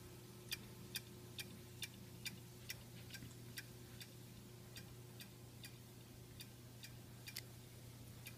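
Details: Xbox One console in standby ("sleep" mode) making sharp, light clicks about twice a second over a low steady hum; owner says it also clicks while running, with or without a disc in the drive.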